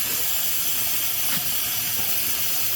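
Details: Laser welding 1/8-inch aluminum tube in a speed trial around 70-85 cm per minute: steady sharp hiss holding evenly through the pass, indicating full burn-through penetration.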